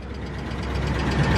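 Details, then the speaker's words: 2006 Maserati Quattroporte bought at salvage auction, abandoned for years, unknown mileage, sold as non-running: first start on a jump pack, it fires right up into a rough idle with a faint quick ticking from the top end; the cause is unclear. "and here it fires right up there's a little ticking noise coming from it though wait a second what's that"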